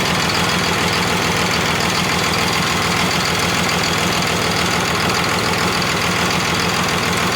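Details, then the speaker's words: Cummins diesel from an old bus, sat outside about 3.5 years, first start; rough, lumpy idle; breaking injector lines shows two cylinders firing while one makes no difference, with air still in that injector line, misfire. "should run worse like that like that so those two are firing good this one's making no difference at all"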